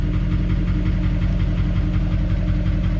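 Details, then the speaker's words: Duramax diesel, 229,000 miles, after start with glow plug light off: even clatter at steady idle, about three firing pulses a second, rhythm smooth and unbroken; normal healthy idle. "I just personally am a Duramax guy I just like Duramax man I like the sound"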